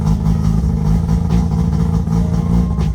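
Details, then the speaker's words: Mazda RX7 FC3S rotary on a Haltech Elite, cold start with a baffle just fitted: a loud, lumpy, low-pitched idle that chops and stutters unevenly, running rich on an untuned cold-start coolant temperature correction map. "If we go to start it up right now, which I just put a baffle in it. Hear how it's all choppy, sounds like a Bridgeport."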